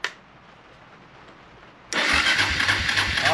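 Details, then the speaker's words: Starter on a '99 Suzuki DR350SE that had been sitting, with a newly fitted AGM battery, spins the engine over briskly and evenly without dragging; no fuel in it yet; normal starter cranking. "So, let's see if it's going to spin it over here."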